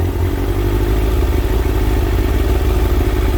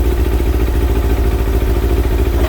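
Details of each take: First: Kawasaki ZX6R J2 inline-four after carb rebuild with new main jets and needle clip change, carbs just quickly balanced within tolerance: steady even idle with smooth low hum, no hunting or misses, sounds much better; normal idle. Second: Kawasaki ZX6R J2 four-cylinder, warmed to 55, after new main jets and needle clip change: lumpy, slightly uneven idle with pulsing low beat; carburettors quite out of balance.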